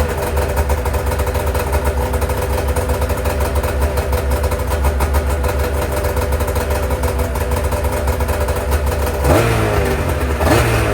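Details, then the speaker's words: Freshly rebuilt Arctic Cat two-stroke race sled engine with a new power valve, initial startup: flat, muffled, lumpy stumbling; sounds as if the exhaust is plugged and running on one cylinder, and the servo motor isn't cycling; rough running, cause under diagnosis. "Terrible. Sounds like the exhaust is plugged. That's what it sounds like. So initial startup of fresh rebuild, not going awesome."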